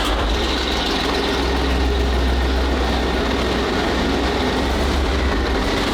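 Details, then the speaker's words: Walker Bulldog tank, flat-six air-cooled aircraft petrol engine with two-speed automatic, recently tuned up after previously being hard to start: deep, steady low rumble holding even throughout, no misses or knocks; running cleanly, normal. "It always used to be a bit of a peak to start, but after we tuned it up the other day, it bursts into life a bit better."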